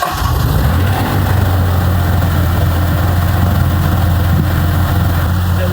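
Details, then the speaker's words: Mitsubishi GTO twin turbo (3000GT VR4) after fitting a 3SX fuel pressure regulator, checking the idle air control valve and helicoiling stripped plenum threads to cure revving to the limiter: cranks briefly, catches cleanly, settles into steady idle; runs fine. "Like it's running fine. Thank God."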